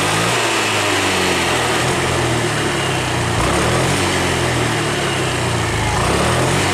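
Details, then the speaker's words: 2020 Honda Beat scooter, weak and underpowered, after ECU altitude mode reset to mode 1, injector duration 2.5–2.8 ms: revs climb and fall cleanly without stumble or bogging; normal rev response. "terlihat Bro jadi untuk rpm nya sudah jauh lebih lebih ringan daripada yang tadi sebelum kita setting mode satu yang sekarang ini sudah bersatu Saya yakin ini motornya bertenaga dan sudah kembali normal"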